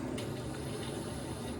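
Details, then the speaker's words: Newly installed hallway radiator system being filled to 1.5 bar: soft steady hiss with watery rush as the boiler's internal automatic air vent releases trapped air. "Oh, we can hear there's some sort of internal automatic air vent there. So you can hear a bit of air being released through the boiler."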